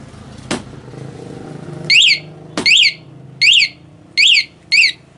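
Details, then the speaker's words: Honda Beat FI ESF 2019, newly installed remote alarm wired to pulser, armed and bike shaken: thump, then five loud sharp warbling siren bursts about one a second. Alarm triggering correctly. "Oke. Coba goyang motorku. Goyang, goyang."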